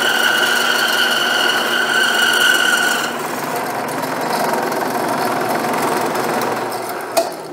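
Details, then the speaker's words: New Grizzly G0561 horizontal bandsaw cutting with the supplied coarse 6 TPI blade: motor hum with high ringing and rapid rattle of three or four knocks a second; blade chatters, suspected too-coarse teeth, later swapped for 12 TPI. "so i'm getting uh quite a bit of chatter uh again i suspect it's because the the teeth on this are too coarse"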